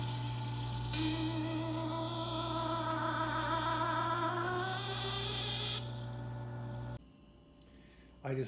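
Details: Taotronics TT-IC001 nugget ice maker, about 7 months old, at the start of the cycle before ice forms. Loud, sustained, singing screech slowly rising in pitch as the auger pushes ice up through the mushroom-head extrusion head.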